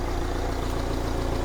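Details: 2015 Renault Grand Scenic idling after alternator replacement, now charging at about 14 V instead of the earlier 11.4 V: even, steady idle rumble with a regular low beat and nothing irregular on top. Normal.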